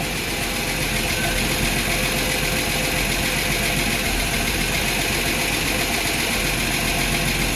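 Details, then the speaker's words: Ford inline-six in a Willys sedan delivery, first start 15 years after install, with the rebuilt carburetor's stuck choke cleaned: steady idle with a fast, light ticking of about four per second; noisy lifters, hoped to pump up. "uh it sounds like it's gonna run but uh lifters are kind of noisy kind of scaring me a little bit"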